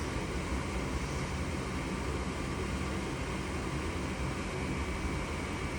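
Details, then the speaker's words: Goodman furnace that flashed 3 blinks (open pressure switch), now lit after cleaning the pressure switch port and reseating its connectors; even steady burner and blower roar with low rumble, no surging or clicking. Normal furnace operation after fix. "Pressure switch, you just gotta clean it or just play with it, and a lot of times it will work."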